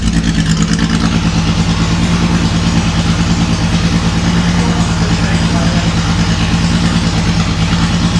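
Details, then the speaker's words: Datsun 280Z barn find, off the road 18 years, after new injectors and clamping fuel lines: deep lumpy idle with an uneven pulse that never settles; runs no differently than before, then dies; cause not yet found. "We might have to investigate it tomorrow. Yep. And see why it's still running rough."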